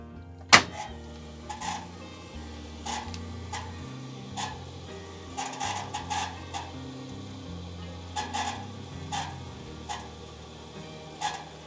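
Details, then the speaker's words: Simpson/Electrolux/Westinghouse clothes dryer running upside down for wall mounting: hum with irregular scratchy screechy bursts about each second, less when reversing; caused by worn motor bearings. "And he, with the way he was describing it, he was saying it was screeching. And it kind of is screeching, but it's not the squealing type of effect that I was expecting."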